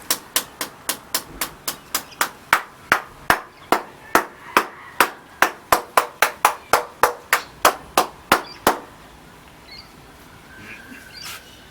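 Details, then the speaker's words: Hammer tap test near a crack on a concrete balcony; twenty-six sharp taps, about three a second, several ringing hollow and drummy over a big section, top concrete lifted off. "There's a big section that doesn't sound very good."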